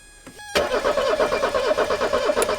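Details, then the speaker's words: 1984 Mercedes 300SD turbo diesel, first start attempt in years: steady rapid cranking chug with only the odd firm thump as one cylinder hits, no run-up. "all right stop she's hitting one of the cylinders is hitting it doesn't seem like"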